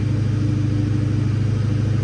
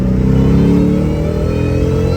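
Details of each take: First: Mustang Cobra fitted with new LFP single-blade throttle body, warmed up: steady, fast idle stuck around 1600 rpm instead of dropping; a vacuum leak at the throttle body is suspected. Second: Saleen Cobra Mustang with a Torque Tech kit and new LFP monoblade throttle body replacing a BBK twin 65mm, easing into second gear: smooth, steady engine note rising evenly with no stumble or surging.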